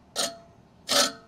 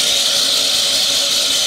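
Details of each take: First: Toro Greensmaster 1000 reel spun by hand during backlapping after a height-of-cut change: harsh hissing metal scrapes all the way round, more reel-to-bedknife contact than wanted, so the reel is to be backed off 3 more clicks. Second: Toro Greensmaster 1000 reel being backlapped with 80-grit compound, reel drive disengaged; steady high whir with fine even ticking about four times a second as the reel backspins; normal light reel-to-bedknife contact.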